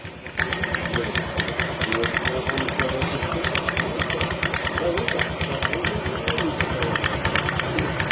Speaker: Nah jadi suaranya seperti itu kayak seperti ada ketukan sepatu kuda ya